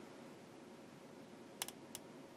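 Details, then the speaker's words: Knight KB-85 stereo tube amplifier slowly brought up to about 90 volts with a sine wave input: steady soft hiss broken by sharp, dry pops and crackling, with no signal reaching the output. "I heard something popping. Did you hear that? Okay, at this point I've got it up to 90 volts. And I hear... I hear a little bit of crackling in there."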